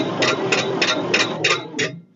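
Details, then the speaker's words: 1946 International truck, sat 50 years, initial cranking with oil in cylinders during compression test; slow uneven weak strokes about three per second, one cylinder reading 25 versus others 60–80; low compression cylinder. "not too good what was that uh it's cranking 25 yeah that one hit 60 okay fair enough"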